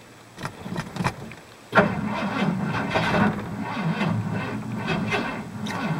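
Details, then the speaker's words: 1985 Ford plow truck, sat since last spring, cold start attempt at about -5: a few weak turns then a labored, uneven churn without firing; owner suspects low battery needing a charge. "nope I probably got to charge the battery"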